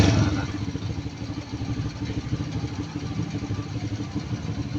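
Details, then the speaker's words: Carbureted motorcycle single after engine rebuild, started: starts easily and settles into a steady, even idle with no misses or hunting. "ติดเบาเครื่องยนต์ติดง่ายเดินเบาได้ทีนี้ครูจะลองเร่งนะ"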